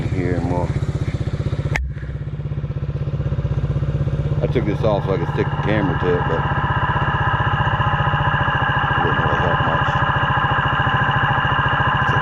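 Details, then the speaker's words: Yamaha 80cc quad after fix-up, weak battery: steady single-cylinder putter at about four beats a second, even and unbroken, idling perhaps slightly high here and there; normal idle. "She's actually sitting here idling. Sound like she died a little high, but here and there, but I ain't even going to complain about it."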